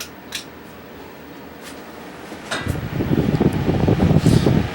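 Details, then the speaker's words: Bersted electric fan, previously oiled, running without oscillation: quiet hum rising to a fuller steady rush of air, less high-pitched than others, no rattle or tick; healthy. "i don't know if you can hear the wind noise it moves a lot more air i hear what i mean about it being a lot less high pitched the other ones are kind of this one sounds more like what you would expect a regular fan to be"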